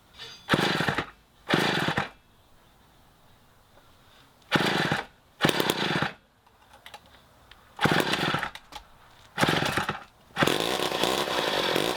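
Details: 1960s Homelite C-51/XL-12 two-stroke chainsaw revival: short loud raspy bursts die off between pulls as the carb floods for unknown reasons; the low-speed mixture screw was turned in to feed less fuel and warm it up.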